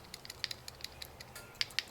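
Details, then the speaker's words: Jeep Wrangler with AC low-side line and evaporator icing: AC low pressure switch, at atmospheric pressure and staying closed when it should be open, is shaken and something loose ticks inside it like a PCV valve. "it sounds like a PCV valve a little bit something in there is moving but I'm not getting any change here"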